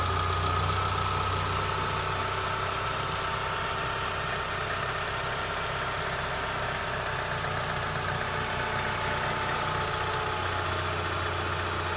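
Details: 2004 Mitsubishi Lancer Ralliart after repair of strange engine sound: new timing belts, pulleys, hydraulic tensioner, idler pulley bolt; steady even idle, smooth low hum, no ticking, whining or rattles; normal idle.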